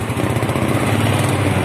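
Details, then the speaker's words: Cold Yamaha Mio scooter engine, exhaust heard at roadside, stutters on initial throttle and stalls if forced; fine when warm and hard to start in the morning; the carburettor had been replaced. "tiga Syawal Brebek dan jika dipaksa di gas malah mati tapi jika mesin sudah kondisi panas maka tidak terjadi masalah ini saat mesin dingin saja"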